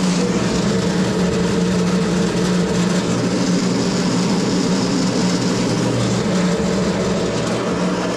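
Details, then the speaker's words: SIPMA roller grain crusher after a DIY repair welding short bead pieces onto a worn roller, which previously would not draw in corn: even, steady low rumble and constant hum, no knocking or grinding spikes. Tightened rollers crush corn smoothly under load. "Musicie mi wierzyć na słowo ale on w ogóle kukurydzy nie ciągnął w ogóle a teraz ma walce dociągnięcie jak Huczy żrą o siebie i patrzcie jak mieli jak gniecie"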